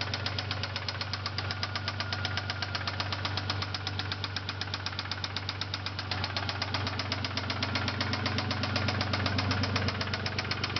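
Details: 1999 Isuzu Amigo S 3.2 L at idle: sharp, even knocking about four times per second; owner suspects valve or rod knock, leaning toward rod bearing, not confirmed.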